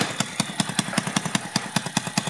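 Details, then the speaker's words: Motorcycle with a newly fitted DBS exhaust pipe, not yet mounted underneath, at idle: sharp, crackly puffs about five a second from an exhaust leak where the screw fell out, changing the sound. "So natanggal pala yung tornilyo natin dito, kaya pala nag-iba yung tunog."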